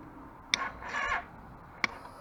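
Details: 2013 Suzuki V-Strom 650 on an 18°C day with a new battery, second occurrence this month: two sharp single clicks about a second apart with a faint short whir, engine never turns over; starter clicking, no start.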